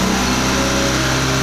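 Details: Honda Beat ESP fuel-injected scooter that had been misfiring from an EOT sensor error, after the sensor was replaced and reading about 86-89°C when warm: steady, even buzzing idle with no misses.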